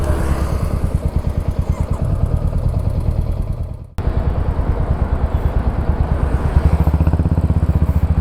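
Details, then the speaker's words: Royal Enfield Hunter 350 single at idle, before adjustment: sharp regular ticking over every firing beat, identified as tappet noise; tappets then adjusted. "ल रहा है ना जो टेपट बोलते यही है टेपट हां यही"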